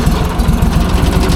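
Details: Leaf loader small engine, after adding two quarts of 10W-40 oil and confirming the fuel pump works: runs at a steady, even low putter with no misses or knocks; normal, healthy running.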